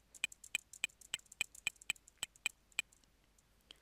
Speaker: Tek tek bastığımda da arkadan bir Bip Bip sesi duyacaksınız